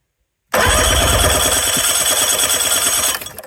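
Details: 2000 Johnson 50hp outboard cranking during a compression test: an even, strong beat of about four puffs a second with no stumble. Both cylinders read about 120 psi, so compression is healthy and even.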